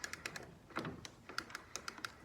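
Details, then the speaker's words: Honda HRU216 self-propelled mower with a new wheel, spun by hand with the mower lifted: crisp, evenly spaced light clicks, several a second, as the wheel's lug engages the drive. Normal drive ratchet clicking. "You lift the mower up, put her in, and click. You hear it clicking."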